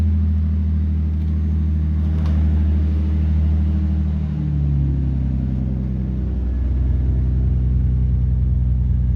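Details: Nissan Skyline R33 GTST at first startup after installing a Walbro 255LPH fuel pump: engine catches and settles into a steady, even low rumble with no misses, knocks or stumbles. Runs cleanly.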